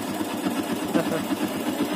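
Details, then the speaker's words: Yamaha Byson 2012 motorcycle, bought used about a month ago: quick even "kletek" ticking over rough single-cylinder idle; owner calls it abnormal and needing replacement, suspects worn parts/piston rings; also white exhaust smoke. Cause unconfirmed. "Nah, itu dengar tuh suara tek tek tek teknya itu, kelatek-kelateknya. Jadi ya itu juga harus diganti sih, pastinya diganti karena ini enggak normal ya rasanya."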